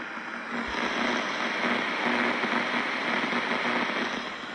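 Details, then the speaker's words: Central Electronics 100V transmitter setup, receiver tuned on 20 meters with a small dummy antenna, volume turned up: loud, steady buzzing hiss with a crackling edge and no signal underneath. Bad power line noise. "I just want to get some volume here. You can hear the power line noise I have."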